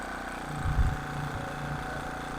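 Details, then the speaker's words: King Canada 1500 W generator, Chinese engine, after governor spring adjustment to lower speed from 71 Hz/190 V, freshly refueled: steady, somewhat low-pitched beat with a brief surge; running a bit slow, speed to be turned up. "might be a bit low I'm going to try turning it up a bit"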